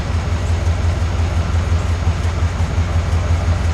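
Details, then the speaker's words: 1991 Cadillac Brougham idle, meter about 10 in from tailpipe, about 68–70 dB: deep droning rumble with distinctive beat about twice per second; muffler installed backwards and upside down, original resonator missing, likely contributing to drone around 59 mph. "if I'm reading that correctly that's about 68 to 70 DB it's on the 70 DB scale and you can clearly hear as well as see on the meas on the meter a distinctive beat sound about uh twice per second"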